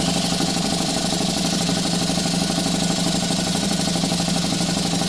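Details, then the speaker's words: Stuart 4 steam engine under live steam at 13 psi, speed raised somewhat, exhausting into a propane-tank chuff pot: quick steady chuffing, about three beats a second, over escaping-steam hiss; running smoothly. "I don't know what the recommended uh RPM for this engine is but we're gonna crank it up a little bit watch it run sure puts out a lot of steam"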